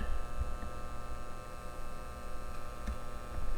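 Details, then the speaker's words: KRK Rokit 5 Gen 2 left studio monitor at switch-on: a big pop, then a constant low buzzing hum with faint hiss and crackles, before repair with replacement capacitors and relay. "so there is a big pop at the start which is terrible and there is a slight humming sound and crackles"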